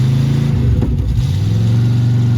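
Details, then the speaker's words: Abandoned 1961 Cadillac V8 revived, idle circuit partly freed by closing the choke and revving: deep burble but idle sags and surges about once a second; idle fuel only intermittent. "did the old uh close the choke and rev it trick and got the idols knocked free i think it's even got an accelerator pump sometimes yeah sometimes uh idle fuel is still only a sometimes proposition"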